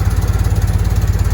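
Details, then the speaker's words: Citroën 2CV with a single-barrel carburetor, cold start on choke: quick, even low putter with no misses; smooth choke idle, maybe too much choke. "nice smooth choke idle maybe too much choke i think yeah all right it's idling"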